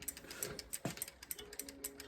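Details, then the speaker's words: VanMoof S3/X3 e-bike wheel spinning after the brake caliper was reinstalled and adjusted and the pads cleaned: light, quick freewheel ticks with no scraping or hiss between them; no brake rub. "I don't hear anything. And then you try engaging the brake. Make sure nothing's rubbing."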